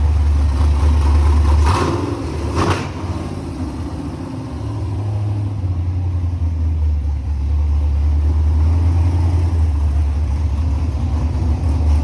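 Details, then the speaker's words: LS-swapped 2nd-gen Camaro 5.3 V8 on a returnless conversion with Corvette filter regulator and external Walbro pump: starter churns briefly, catches and settles into a deep, steady, even idle with no misses or knocks; normal start and idle. "The fuel cell's empty, so it's not gonna start, but let's cut to a clip of it actually starting and running."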